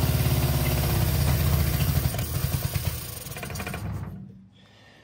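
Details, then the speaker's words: 1965 Innocenti S Spider 1098cc engine, chokes on, after reversing plug leads to correct the firing order: deep, even burble with steady firing for about four seconds then shut off; normal running, water pump not connected. "so that's what it was the fire in order was not correct"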